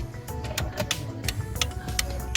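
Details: Toyota Corolla 9th gen after upgrading to LED turn signals: sharp relay clicks about three a second, over music, from the stock mechanical flasher relay; hyperflashing, fixed by fitting an LED-rated flasher relay.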